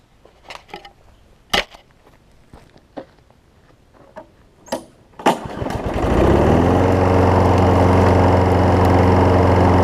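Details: Craftsman 6 hp self-propelled mower after a new spark plug, belt refitted, testing self-propel: a few clicks, then the engine catches and settles into a smooth, even drone with a steady beat; running healthy.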